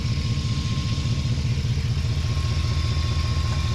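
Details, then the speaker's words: 2008 Ford F-150 5.4L 3-valve V8 after engine replacement, running without codes: thin steady high squeal over even idle; belt pulley squeal, owner believes the tensioner, which free-spins, not confirmed. "We got a little bit of a pulley squeal, and we'll figure out which one that is. I believe it's probably the tensioner, because it did have a little bit of like a free spin to it."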